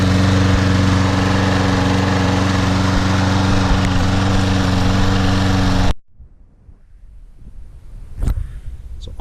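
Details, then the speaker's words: Toro Recycler mower on a January cold start; it started right up on the first try. A steady, even single-cylinder thrum with no misses or surging for six seconds, then shutdown: normal running. "It's my favorite lawn mower here. Started right up."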